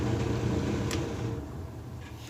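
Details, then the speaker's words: Hotpoint dryer with broken drive belt, drum not spinning and loose: steady low motor hum with slight vibration and no drum tumbling; dryer was also vibrating and not drying, with a clogged blower wheel and vent. "I hear a little vibration in the drum also. Yeah, the drum is spinning pretty loose. I can hear the belt just fell down."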